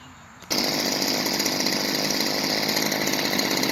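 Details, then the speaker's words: Stihl FS45C two-stroke trimmer after a new carburetor, gaskets and spark plug: catches instantly and settles into a high, steady buzz with no bogging or sputter. Runs cleanly. "I'm gonna fire it up see if he needs any adjustments and I'll let you hear it run"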